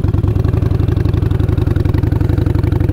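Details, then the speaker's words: Motorcycle held in fifth gear at low revs, revs dipping: slow heavy uneven strained chuffing about four pulses a second with no rise in revs; engine lugging in too high a gear, downshift needed. "hear that yeah that's lugging the hell out of it so yeah you can be in fifth gear and then just downshift into whatever gear that you need to be it right"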